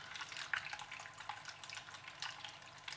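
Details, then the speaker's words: Aqua Internal 100 fish tank water pump running in water, switched from low to high setting; steady splashing and gurgling, no motor rattle or grinding, pushing hard and running normally before teardown. "pump is working fine in fact - well I'm splashing water that's on the low setting if I turn it on the holy setting you're really making a mess"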